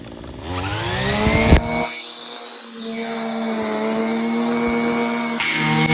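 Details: Free Homelite string trimmer, fixed by adjusting the carburetor mixture and idle screws (carb not cleaned), revved up: climbs from a low buzz to a steady high scream and holds without bogging or surging, running properly.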